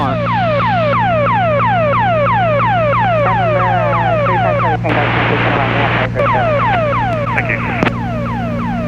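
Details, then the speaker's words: Strong ELT distress signal heard in flight on the 121.5 guard frequency, monitored on a backup radio in a twin Cessna: falling tone sweeps about three per second over steady radio hum, reported to ATC. "yes ma'am this out through this location just picked up a strong ELT on 1 to 1.5"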